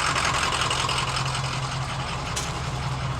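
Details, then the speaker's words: Diesel bus that sat for years and had low injection oil pressure, now running after batteries were refitted: steady low diesel clatter at an even idle with no misses or knocks; sounds healthy. "it's actually running well yeah and if I remember right this thing had been sitting for years"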